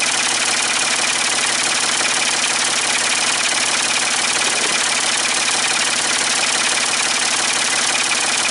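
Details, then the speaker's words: Ford 550 TLB backhoe, 3-cylinder diesel, after reassembly and injector fuel bleeding, cool day: steady, even idle clatter with no misses or knocks; running properly, only a small injector return-line drip. "I'm so glad that it's running good though."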